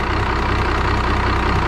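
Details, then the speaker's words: 5.9L Cummins diesel from an abandoned Dodge, newly refueled: steady, even diesel clatter at idle with a low, regular beat and no knock or stumble, turbo audible; a healthy idle. "they're always kind of noisy and vibrate a lot anyways. turbo sounds good too."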